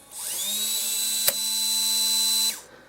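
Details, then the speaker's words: Canon XH A1 camcorder DV cassette loading mechanism: when opening (or pressing a cassette down) a thin high motor whine rises, holds about two seconds, then stops abruptly and the cassette pops back up; closing empty is silent. Owner suspects the loading system needs replacement; logic or ribbon cable also possible. "When you close it down with no cassette, it's fine, there's no sound, and when you go to open it you get that strange sound."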